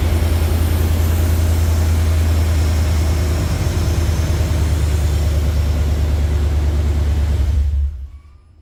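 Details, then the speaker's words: OBS truck on its first test start after its dragging starter was replaced with a 1998+ Vortec starter: a steady, even low drone for nearly eight seconds that cuts off cleanly, with no dragging or grinding; the new starter sounds healthy. "hey that sounded pretty good it has a totally different sound um it's not the sound I'm used to these trucks have a very unique starting sound and it's a little different but this is a I think a gear reduction direct drive starter so it's going to sound a little different"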